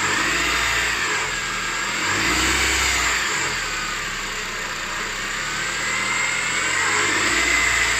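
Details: 2006 Honda CR-V K20A4 engine: a steady, rough whirring drone over the engine, loudest around 1500 rpm, from worn bearings in the alternator and power steering pump; fixed by repairing both and replacing the water pump.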